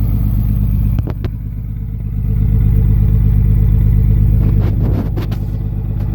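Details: 2004 5.9L diesel that began smoking black and knocking at idle after a long trip, at idle: sharp, regular knock about three per second over the idle; kill test isolates cylinder 5, a bad injector.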